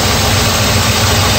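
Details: 1984 Mercedes 380SL after idle control repair: steady low idle with an even beat, no surging or hunting; idle that was stuck high around 1500 rpm now drops to about 900 after work on the idle air control valve and controller.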